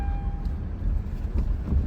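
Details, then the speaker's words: 2007 Hyundai Azera with 198,000 miles, oil pressure light on at idle (later fixed by replacing an oil sensor): low, even engine rumble under some wind noise, no knocks, ticks or misses; engine sounds healthy. "Now, that would be odd cuz I mean, the darn thing sounds good."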